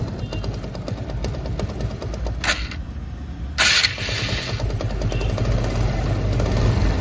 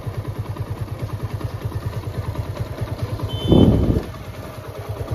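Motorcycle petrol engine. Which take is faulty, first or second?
first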